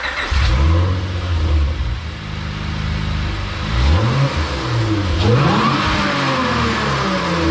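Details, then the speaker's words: Swapped-in J32 engine with a new Stage 3 clutch, de-capped 390cc injectors and a retuned fuel map for good air-fuel ratios: clean throttle blips that climb and fall quickly with no stumble, popping or misfire; quick response, revs crisply and sounds healthy. "oh yeah as you can hear it sounds pretty good definitely has quick response and it pulls really hard"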